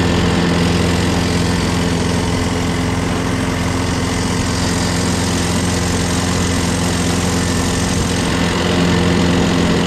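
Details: Craftsman lawnmower, Briggs 6.5HP Quantum engine, after carb clean, new starter, battery and magneto: constant even drone with steady buzz, no surging or stalling; runs normally, owner hears an unexplained clanking.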